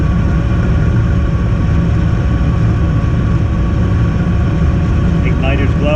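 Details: Weil-McLain boiler on a no-heat call, fired back up after repair: a steady low burner roar holds even with no surging or banging; the boiler is firing normally and heat is restored.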